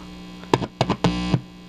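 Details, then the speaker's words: Small amplifier board just powered with unterminated inputs on twisted-pair (unshielded) cable: constant low electrical hum under a few handling taps; inputs picking up mains noise, amplifier itself working properly. "okay I set up this little amplifier board here and I will apply power to it and listen well as you can hear is picking up some noise"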